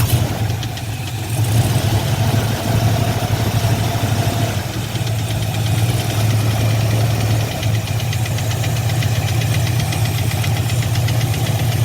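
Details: Fox-body Mustang LX converted to GT, sat 6+ years, after burnouts: deep lumpy V8 idle with a dull knock, louder inside, gone by about 1,500 rpm. Oil pressure good but drops after driving; bottom-end fault suspected, unconfirmed.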